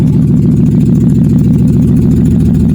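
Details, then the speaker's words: Nissan Xterra after crank-no-start, no-spark repair (ECM reprogrammed, camshaft sensor replaced, cam code gone): steady, even low hum at idle with no misses, knocks or odd noises; healthy smooth idle. "The vehicle starts up right away. It starts up right away. You see? As we got started."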